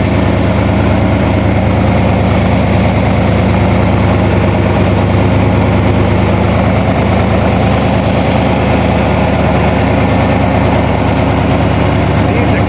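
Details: 1987 Toyota Supra MKIII with swapped 350 Chevrolet Vortec V8 and 700R4, restarted after rebuild with distributor cap corrected 180° and valve lash reset, open unwelded exhaust: steady heavy low burble, no knocks or rattles; normal running.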